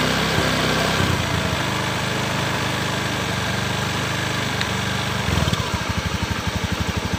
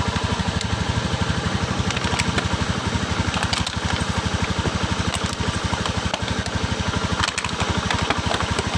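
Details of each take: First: Honda Beat PGM-FI scooter with a stuttering complaint, engine being checked for induction in the wiring: steady idle with no stumble or misfire, then an even pulsing beat; running normally at this point. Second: Honda Beat PGM-FI scooter sprayed with water at the spark plug: fast single-cylinder idle with irregular crackling snaps, hard starting; wet plug cap arcing causes misfire.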